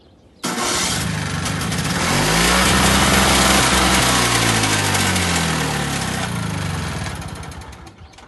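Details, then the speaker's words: Two-stroke electric-start snowblower, first start of season, choke fully on; on starting fluid it catches, revs rough and uneven, then sags and dies, confirming spark but not staying running. "anyway it will not stay running which means we've got spark so I don't even need to mess with uh spark plug or anything"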